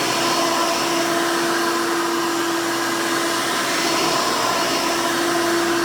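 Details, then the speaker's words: 1991 Hoover Elite 350 upright vacuum, model U4463-9, motor-swapped with a later 7-8 amp motor: loud steady motor roar with even high whine, no surging or rattles; runs normally, just louder than stock. "let's go ahead and turn this thing on and you can hear it and all it's screaming overly loud hoover glory"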